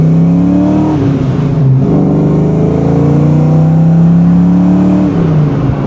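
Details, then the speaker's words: 1990 Ford Mustang Foxbody 5.0 V8 Notchback with Flowmasters, 3.08 gears and fresh fluids, pulling hard on the highway; deep burbling exhaust rises then drops at a shift, smooth and even, healthy engine and exhaust. "There's that sound we all know and love. Smells like new parts too."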